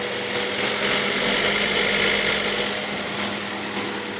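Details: Honda B18B1 engine at idle: light, fast ticking about three or four per second over the engine; owner fears a rod, cause unknown.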